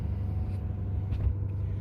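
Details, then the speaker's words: 2018 Ford F-350 6.7 Powerstroke diesel, about 210,000 miles, after warming up from a cold start: the radiator fan drops off, leaving a normal, low, even idle with no knocks or ticks. "if you hear the fan right now it's starting to drop off and it's off there's a nice and quiet not too loud anyway"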